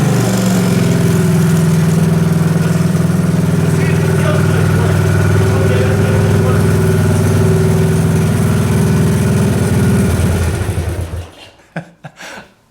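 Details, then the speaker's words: 1984 Honda ATC three-wheeler, single cylinder, revived, first start: even thumping at about four beats a second holds steady until it is switched off. Normal running. "It runs. I don't think there's any more mosquitoes within 50-foot radius either."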